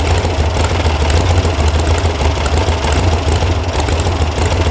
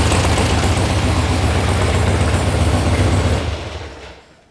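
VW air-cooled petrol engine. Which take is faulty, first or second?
first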